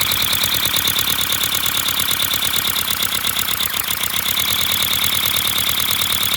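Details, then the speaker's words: 3D-printed flat-four compressed-air engine, 30 mm bore and 25 mm stroke, run from an air compressor: rapid, hissy air puffs at a steady beat and constant rate, loud because air vents straight out with no exhaust; running smoothly. "and I know it's gonna be loud because the gases are just gonna be coming, or the compressed air is just gonna be coming from here, straight out of here, no exhaust."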